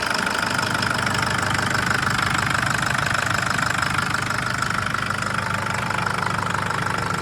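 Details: 2011 Nissan GU Patrol CRD diesel automatic: very loud steady knock about three beats a second over a rough idle; also no power, power light on at high rpm, stalls when driven cold, codes P0088, P0089, P1090; cause undetermined.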